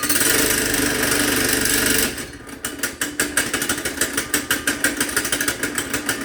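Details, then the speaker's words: Kid-sized go-kart with Honda engine, completely cold start with choke on: steady run breaks into uneven surging chug about three pulses a second, starting to die; has some trouble idling. "as you can hear it runs that was actually a cold start no lie that was a completely cold start starting to die a little bit"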